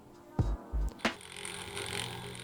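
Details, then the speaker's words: 2011 Mac Mini Server, over 10 years old: a few clicks, then the boot chime comes out thin and buzzy instead of clean. The machine still looks fine, but the speaker sounds distorted (sember) at startup, so it is worn. "Walau fisiknya masih terlihat bagus, tapi ternyata ini speakernya sudah kurang bagus ya, sudah terdengar sember ketika dia mau booting."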